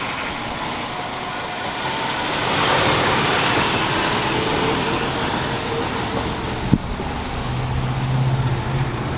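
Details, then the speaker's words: 1982 Ford Mustang GL revived after sitting since 1990, water pump replaced: steady, even idle with smooth low burble, no knocks or misses; engine runs great. "but yeah once I got it running it runs great"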